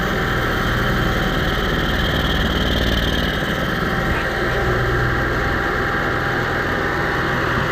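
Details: Onan 5500 motorhome generator that idled rough, died and backfired, after carburetor cleaning and fuel filter refit: starts readily, steady even drone with no misses or surging; running smoothly.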